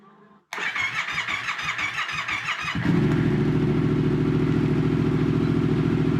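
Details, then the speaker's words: Yamaha MT-07 turbo build: first start of the fully rebuilt CP2 twin with a wideband O2 sensor fitted and the exhaust routed outside. The starter cranks in uneven bursts for two seconds, then it catches into a steady, even twin idle. A clean, normal start. "Well, I'm no bike expert, as you know, but that sounds like my bike."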